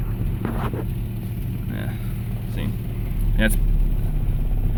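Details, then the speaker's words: 1986 Toyota turbo EFI truck, not run in a while: idles with an uneven, lumpy beat and occasional stumble; a little rough, cause not pinned down. "as you can hear it spread a little little rough"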